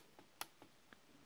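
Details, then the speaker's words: 2015 Dell XPS 13 9343 laptop with known trackpad defect, pad tapped rather than clicked: four light hollow clicks, each with a faint rattle; loose trackpad rattling over a gap underneath. "So, it just seems loose and it just bothers me."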